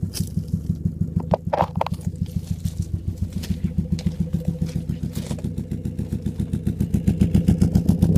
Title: Mk4 fiesta muffler delete misfire